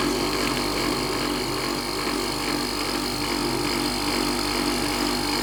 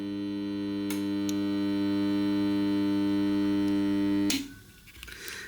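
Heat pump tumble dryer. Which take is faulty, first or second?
second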